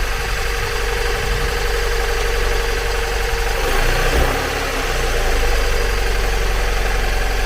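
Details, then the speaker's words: 2002 Mazda MX-5 Miata NB idling roughly with an uneven, lumpy beat: misfire on two cylinders; unplugging and refitting the front coil makes no difference, coils previously ruled out, ECU fault suspected. "so I've got the front coil disconnected and I'm just going to start it up plug that coil back in and as you can hear doesn't make any difference"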